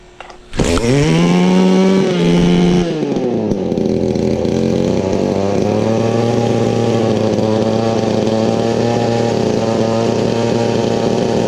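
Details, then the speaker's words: Weed Eater Featherlite XT250 two-stroke trimmer after new primer bulb, cleaned gas tank and new fuel filter, started without choke: fast, steady buzzing idle that won't drop; idle too high, throttle stop screw holding the throttle open, to be loosened. "Alright, so now you probably heard it idling a little loud. Right here, there's a little screw that you're going to want to loosen up. That's what holds this throttle pusher here."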